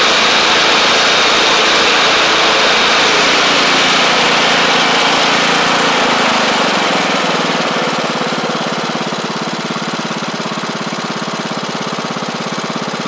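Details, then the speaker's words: MTD Craftsman LT1500 riding mower with replacement engine, after bottom oil seal change: steady, even single-cylinder chug around 200 a minute, no surging; no longer over-revving, healthy. "it doesn't sound like it's revving revving too high anymore either so that's good"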